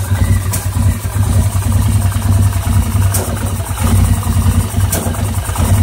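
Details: 2009 850 XP at idle, still rough after throttle cable adjustment and repair of mouse-chewed exposed wiring, cause unknown: low, lumpy idle with uneven pulses and sharp pops every second or two; rough idle with misfire.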